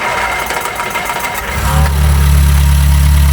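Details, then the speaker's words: Reliant Regal Supervan 3 petrol engine refitted after electric conversion, fresh oil, loose coil terminals fixed, little choke: brief cranking rattle catches cleanly into smooth even low idle, no misses; normal start and idle. "we're gonna do one final start and see if it ticks over can you take over might need a little bit of choke"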